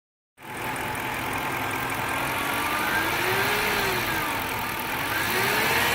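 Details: 2006 Dodge Charger R/T V8, brand-new engine with only 3,500 miles, idles with a distinct humming tone drifting up and down with small rev changes; hum also occurs on acceleration, cause unknown.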